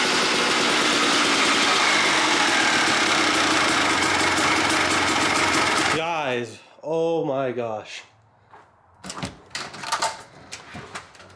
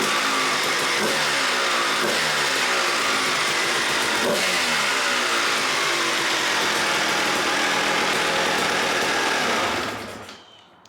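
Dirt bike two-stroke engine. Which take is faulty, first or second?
first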